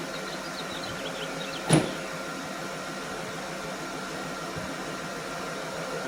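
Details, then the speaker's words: Rebuilt VW Phaeton W12 first start after reassembly and coolant fill, idling: quiet even running with steady soft hum and one brief click, no ticking or belt chirp; belt and pulleys fine, earlier tick gone. "the belt looked good the pulleys everything looked good it was nice and quiet i didn't hear anything from there"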